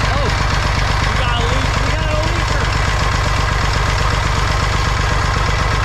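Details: Massey Ferguson 35 tractor, Perkins A3.152 three-cylinder diesel, after head gasket replacement for an oil leak. Steady, even deep chug at idle, no knocks or misses; no leaks so far, healthy.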